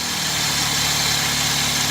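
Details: Chevy HHR with crank-no-start fault, after swapping the powertrain relay for a good one: engine catches and idles steady and even with no misses or stumbles; normal idle, original relay suspected bad.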